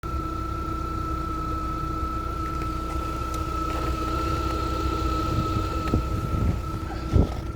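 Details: 2020 Lada Vesta after an engine overhaul, cold start: a smooth, even idle with a faint steady accessory hum and no piston slap or knock. Earlier oil burning after catalyst removal, a burnt valve and undersized pistons were found.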